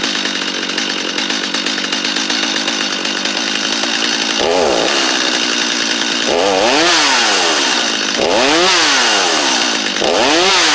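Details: Free Stihl 250 chainsaw, good compression: fires cleanly, idles steadily, revs up and drops back crisply; running healthy.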